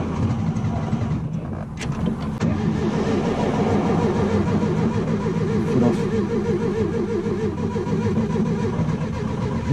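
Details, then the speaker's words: VW Beetle that dies when hot, restart attempt with the engine hot: steady, even cranking for seconds but it never catches or fires; hot no-start, cause unknown. "if any of you have any ideas of what is wrong with this I would love to hear them any suggestions are welcome I am willing to try anything because it's really annoying dying when it's hot"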